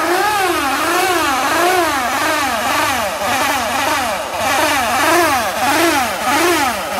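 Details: Suzuki Address V125G scooter engine: revs swing up and down roughly every 0.6 seconds with a rough, buzzy edge; abnormal engine noise, engine reportedly blown.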